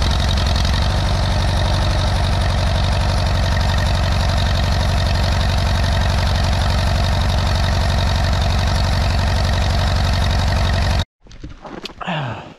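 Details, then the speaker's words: 1957 Allis Chalmers B series tractor, first start after sitting a couple of years in snow: steady low thump around 230 beats a minute at idle, chugging lumpy and cranky; rough running suspected from long storage, not confirmed. "she needs to be running a little bit more because she's a little bit cranky because she hasn't been running a long time"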